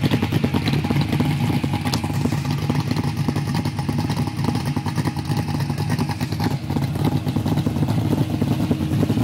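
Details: Holden Torana with a 308 V8, B-cast heads and a Crane 280 solid camshaft: lumpy, loping idle with an uneven beat of about 200 pulses a minute and a light clatter on top; rough idle, cause not confirmed.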